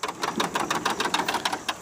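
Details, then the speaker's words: Honda HRX217 mower after rear drive repair with new OEM wheel gear, spring and drive-shaft key: steady, crisp ticking about five times a second as it rolls forward; wheel drive engaging properly. "so he have a nice clicking Sun and it's rolling nice and smooth on here for that as well too so you should hear that nice clicking sign"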